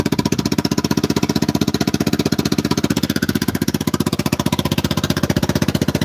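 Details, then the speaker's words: Vespa Super Sport scooter, 159 cc engine, idling: even, rapid putt-putt firing pulses at steady idle speed with no misses or knocks. Normal idle. "That's 159 cc's of pure fury right there, guys. Listen to that beautiful purr."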